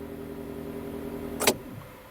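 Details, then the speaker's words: UAZ Patriot auxiliary heater circulation pump, alternating between rubber-damper mounting and stock mounting without damper: soft steady low hum with even tones, no rattle, then one sharp clack as it is handled; normal pump hum. "Вот сейчас вот работает мотор, который уже на демпфере. Выключаем. Сейчас работает мотор, который на штатный, без демпфера."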